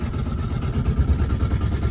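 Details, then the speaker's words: Diesel engine of a 1990 Com-Pac 23D MK3 sailboat, throttled up a little with cooling water confirmed coming out. Even, low throb with a steady beat and no knocks or misses: running fine. "Seems to be running fine. Sounds alright to me."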